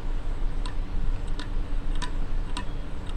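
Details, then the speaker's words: Yamaha 125Z two-stroke engine during reassembly, crankshaft turned by hand in the casing: sharp catching ticks about every half second as it rubs. The crankshaft is suspected unusable and may need replacing. "Kau boleh dengar kan bunyi benda tu. Dia bergesel tau. Dia jejak lah. Jadinya aku rasa nak kena pakai crankshaft lain."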